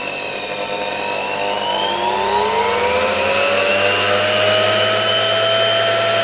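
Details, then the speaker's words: Motor removed from a 1989 Soviet Uralec vacuum cleaner, started on reduced voltage of about 50–60 V: whine climbs steadily in pitch as it spins up, with a faint gritty hiss from loose sand and dirt in the turbines. "here is some sand, some dirt in these turbines. You can clearly hear how everything is reflected there."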